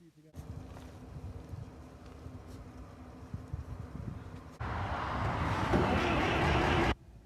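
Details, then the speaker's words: TD9 crawler, fresh non-ethanol premium with fuel heat, battery charged beforehand. The starter turns the engine at an even rhythm of about four beats per second, but it never catches or speeds up. Cranks, no start, still nothing; ether is next. "Well, still nothing. It's disappointing me. I'm going to try it with some ether."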